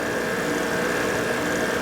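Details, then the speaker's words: 1986 Ford Honey motorhome roof air conditioner, newly fitted condenser, run on a makeshift plug-in: steady hum with fan rush and no knocks or rattles; fans and compressor running and it is getting cold. "We plugged it in. Fans running. Fans running. Compressors running."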